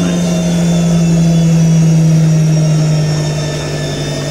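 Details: New IKEA RENLIG IWM60 integrated washer on its first wash, Cottons 60°C with SuperQuick and a load of darks, spinning at up to 850 rpm: loud steady hum easing slightly in pitch, with a rough edge from the motor bearings.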